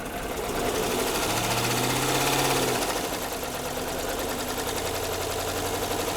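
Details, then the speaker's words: 2013 Jeep Grand Cherokee 5.7 V8, about 160,000 miles, revved to about 1500 rpm and held: rapid metallic clatter getting busier with revs; top end not bottom end, suspected overheating damage, unconfirmed. "Doesn't sound like it's bottom end. Sounds like it's all up in the top end."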